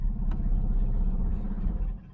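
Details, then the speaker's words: 1970 Mustang Mach 1 running from a temporary fuel can on its second start after a long time sitting: a deep, steady low rumble that stays even, sounding better than the first start. Smooth idle after warm-up. "This is not the first start in years. It's a second start in many a long time. That sounds better"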